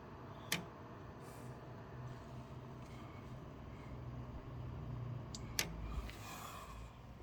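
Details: PC with 1200W power supply and GeForce RTX 4090, no HDDs: sharp isolated clicks about five seconds apart over low steady fan hum; owner unsure whether the PSU or graphics card is responsible.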